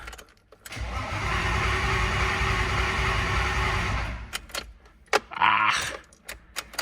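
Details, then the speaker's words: S52 turbo BMW wagon with a weak battery on a boost box: starter spins steadily for about three seconds with no catch and no fuel pump hum; crank no start because the new Walbro 255 fuel pump is not running. "Boost period too short. Huh. I don't hear the fuel pump. Really? I tried rapping on the fuel pump, no dice"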